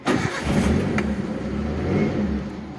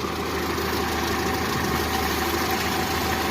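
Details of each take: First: Daihatsu Zebra Espass started after cleaning the points and ignition under the distributor cap: fires straight away and settles into a steady, even idle with no misses or stumbles; normal running. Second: Daihatsu Zebra Espass idling after distributor sealed against rain: uneven, lumpy idle with irregular shaking beats under a steady drone; roughness from a faulty distributor centrifugal advance.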